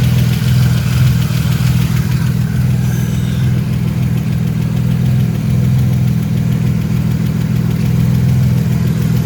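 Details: 1999 Camaro V6 (4th-gen F-body) at idle right after installing a 10-row oil cooler, oil pressure reported fine with no leaks; even, steady low rumble with no ticking, knocking or misses, running smoothly: normal idle.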